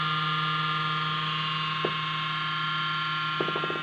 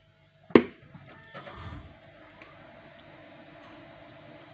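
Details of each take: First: Computer cooling fan hums loudly at power-on with a bright whirring tone, typical of a dry, worn bearing; the noise stops once the computer has booted. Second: Desktop computer after cleaning and a few drops of oil on the fan that hummed at power-on: switch click, then only a faint, even hum, no extraneous noise; fan fixed, running quietly.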